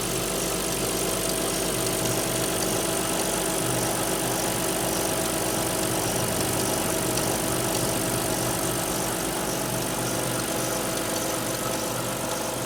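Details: Alfa Romeo 156 V6 in for a timing belt replacement, cold start: a steady cold idle with an irregular ticking rattle over the hum; two distinct abnormal noises, not noticeable when warm, source not identified.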